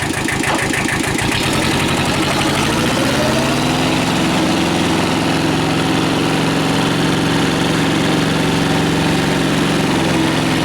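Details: Kubota L Series (mid-1970s) diesel tractor, oil changed and coolant topped off after internal oil leak repair: catches after a brief crank and settles to a steady, even idle, no knocks or misses; normal diesel idle.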